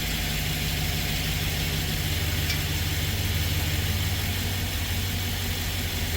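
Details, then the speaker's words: 2013 Ford E150 full-size van V8 after replacing worn spark plugs (one melted) for misfire, flashing check engine light and rough running: steady, even low rumble at idle, sounding smooth with a smooth graph. "she sounds good she sounds smooth and look at the graph nice and smooth"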